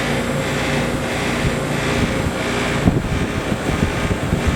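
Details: Trane XL15i AC condenser installed fall 2013 with Trane XV80 furnace: steady fan whoosh with irregular light rattles and clicks growing more frequent.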